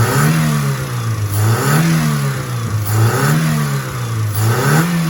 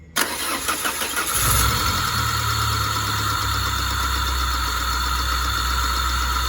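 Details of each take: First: Peugeot 406 after repair for hard starting and compression leak: engine revs rise and fall smoothly, even note with no knocks or misses, temperature normal; runs smooth and healthy. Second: Peugeot 406 hard-starting with compression leak, restart after oil change to Total, oil found nearly empty (about 1–1.5 L left), temperature normal: engine settles into idle with light uneven ticking at first, possibly from lack of oil.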